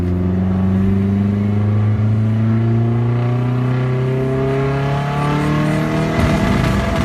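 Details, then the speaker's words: Turbocharged car on first test drive, stock ECU with bigger injectors and not yet tuned: revs climb smoothly, then turn ragged and crackly around 4,500 rpm; it floods when the throttle is pressed hard and struggles above 4.5k, high-rpm breakup from unsuitable fuelling. "Yeah, it's still cracking a little bit at 4.5. Yeah. It kind of struggles. Obviously, this is the stock ECU with the bigger injectors, so it doesn't really know what to do."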